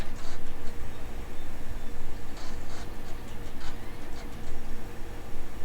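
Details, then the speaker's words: Mid-2000 Indigo iBook G3 clamshell, repaired optical drive, loading a burned disc: soft irregular ticking and brief whirring bursts as it hunts and retries; struggles but eventually reads it. "it's loaded a burn disk but as you can hear now it's struggling to read it but if we sit here long enough it will read it"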